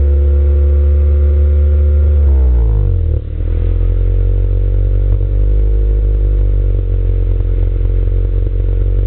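Engine drops from a high speed to a lumpy idle with an uneven, stumbling beat about four times a second, consistent with a misfire. Cause suspected, not confirmed.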